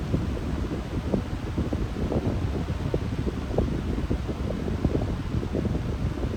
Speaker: very surprised that it's not making that loud humming sound that it usually does on medium. I'm pretty shocked by that because usually it doesn't.